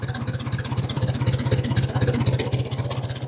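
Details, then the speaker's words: 1950 Ford 8N tractor, straight 4-cylinder, in neutral, idling about 300 rpm after cleaning filthy spark plugs: slow, even low putter about four pulses a second, no misses; smoother than before when it ran rough with misses. "There we're idling at about 300 RPMs. I think it sounds smoother than it did."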